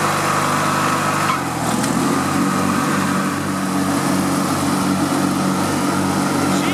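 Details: Riding lawn mower after fuel and electrical repairs, started with choke on and a slightly weak battery: cranks and catches about a second in, then settles into a steady, even buzz without stumbling; running properly.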